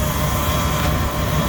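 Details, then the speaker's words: 2nd-gen Dodge Ram, after replacing the power steering gearbox pitman shaft seals: steady whirring groan over a constant engine hum, no beat; air trapped in the power steering system, must be bled out (turning wheel slowly left and right) before driving. "that is air in the system you got to get it all out before you try to drive"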